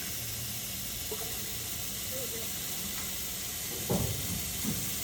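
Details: Cooling system back-flush with thermostat removed and water running through: constant hissing spray with splashes as water escapes past the thermostat housing, gasket left out and a mounting bolt broken off.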